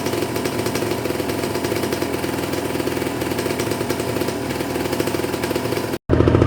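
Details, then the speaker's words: Cold Kawasaki Ninja 150 RR two-stroke at fast idle above 2000 rpm during warm-up: rapid, crisp crackle holding steady, no hunting or misfire; fuel flowing smoothly, so the choke is then turned off to limit fuel draw. "sudah diatas 2000 seperti ini udah lancar berarti tinggal ke Jogja Kembali kita matikan itu supaya hisapan bahan bakarnya tidak terlalu besar"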